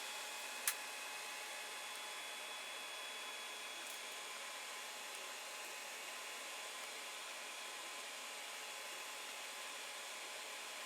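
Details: Creality Ender 5 Plus printing with Meanwell RSP-500-24 PSU after swapping its noisy fan for an 80mm x 10 fan: soft steady fan hiss, faint hum, no knocking; 27°C ambient.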